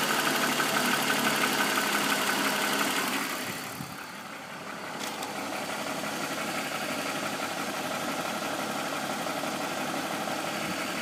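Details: BMW M54B25 petrol six, fully warm, at idle: fairly even ticking near three knocks a second, dipping briefly in level midway, front right in the direction of travel. Appears only after warm-up; VANOS ruled out, INPA/DIS normal; owner suspects timing chain.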